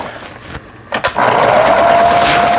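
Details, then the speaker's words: Kenmore 110V Taiwan-made sewing machine after repair. Pattern dial gear broken, so repaired for straight stitch only. Machine picks up speed into a smooth, even whir with steady motor tone, no knocks or grinding; runs normally. "천만다행입니다. 바느질 잘 되게 이렇게 했어요."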